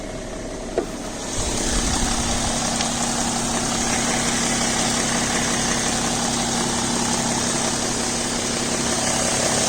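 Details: BMW E60 525d diesel, cold engine just after start, fresh 5W30 oil: a light tick of about three per second over the idle clatter, gone once the engine reaches about 80°C.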